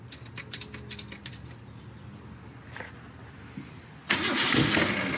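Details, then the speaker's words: Car sat almost 20 years, no radiator, sticking throttle linkage cracked open: starter churns steadily with a few loose pops and one rough burst that fails to settle; nearly firing, not starting. "Oh, the starter's big mad. Oh, I think I hear some fuel there."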